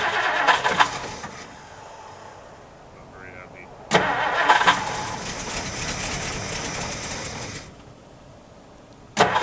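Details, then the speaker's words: 1960 Plymouth Fury unused for years, cold start on stale gas with some fresh gas added: several long cranking bursts catch briefly and die before it fires. Blamed on old gas, a non-working accelerator pump and a misset choke. "he can smell its old gas still oh well between the old gas the accelerator pump not working and the choke not being set up properly"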